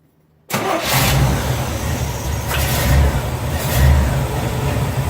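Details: Chevy Nova V8 started for the first time after a power steering install with a new belt and a filled reservoir: catches quickly and settles into a steady, deep idle with gentle blips; no leaks; normal start.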